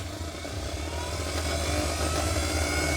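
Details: Usha Smash Plus mixer grinder, 230 V AC: steady motor whir surging up and down with a rough internal knock; shaft bush and shaft worn, bush needs replacing.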